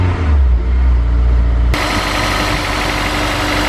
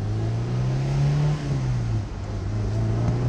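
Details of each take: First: Honda S2000, about 80,000 miles, after replacing all four spark plugs, check engine light on: uneven loping idle about two pulses a second; rough idle misfire on one cylinder, coil pack suspected. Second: Honda S2000 that had a misfire check engine light after its top blew off, revved in neutral after the fix: steady, even engine note with no stumble or bog, idling lower and smoother, no dash lights; running normally.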